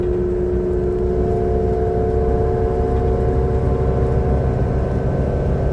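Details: Transperth TP1422 diesel bus on route 209: steady droning hum with a rough, uneven churn underneath; abnormal engine noise, cause unclear.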